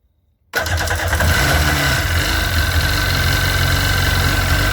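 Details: Sea-Doo 951 DI engine; catches at once and settles into a steady even idle with smooth buzzy beat, no stumbles; air pressure steady 80 psi, fuel about 107 psi.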